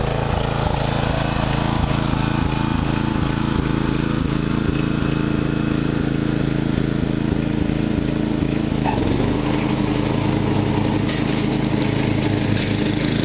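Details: Murray riding mower, first run of the year after long storage and a mouse nest cleaned out; gas half full and not old, filter unchanged. The small single-cylinder engine chugs steadily, dips briefly, then settles to a smoother drone, running perfectly with no earlier surging.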